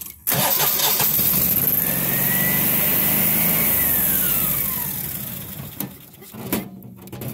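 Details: Generac standby generator: the engine turns over and catches promptly, settling into an even run before the noise fades.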